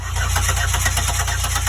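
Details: 2008 Buick Lucerne 3.8 crank-no-start, scanner showing zero RPM, with crank and cam sensor signals scoped at the ignition module: steady, fast cranking with even compression pulses that never catches. Faulty ignition module.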